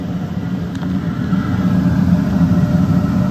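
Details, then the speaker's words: Pellet Pro Smoke Daddy vertical pellet smoker with Sportsman 130° PID controller holding about 140°F: steady low fan hum with soft rumble as the burner fires off — normal low-temperature operation. "Yeah, that's 140. 140 there. You can hear it firing off."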